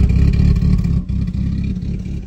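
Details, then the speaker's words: K20-swapped car after new headers replaced leaky EP3 headers, heard at the rear: deep low exhaust note through a quick rev and drop, no ticking or puffing at the front; exhaust sealed and quiet. "so let's see how it sounds now doesn't sound bad back here"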